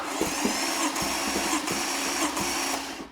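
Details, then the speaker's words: 2013 Maserati Quattroporte GTS, Ferrari F154 twin-turbo V8, 530 hp, 301,000 km, during compression test: steady starter whine with evenly spaced compression pulses; consistent compression around 110–120 PSI on all cylinders. "this is after all a low compression turbo engine and now we have consistent around 110 220 PSI on all of the cylinders"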